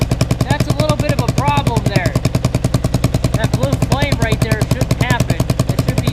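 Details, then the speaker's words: Kawasaki KLR 650 at idle after warm-up: steady single-cylinder idle with sharp, regular pops about three or four a second; owner first suspected a vacuum leak causing stalling, now suspects a leaking exhaust gasket. Exhaust popping at idle. "learn something new every day so it looks like I need a new exhaust gasket I'm assuming because what's going on is all that extra"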